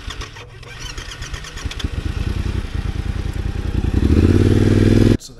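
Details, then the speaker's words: Yamaha T7 motor overheated after a radiator hose puncture lost all coolant, then ran 13 months with good compression before becoming hard to start: starter turns slowly for several seconds before it catches and revs. Owner guesses compression has dropped. "and then I just noticed lately uh going out on rides it's been really hard to start"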